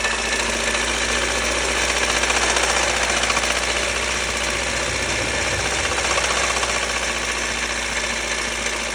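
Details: Lada Kalina 8-valve: fast, fairly regular metallic knocking about three per second over a busy idle; engine knock, source unknown, cause suspected but not confirmed.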